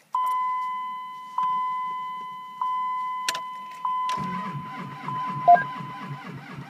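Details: 2004 Dodge Ram 2500 Cummins 5.9 diesel, cold start at -38°C, no block heater: door chime, then slow labored cranking with no firing; cranks but no start.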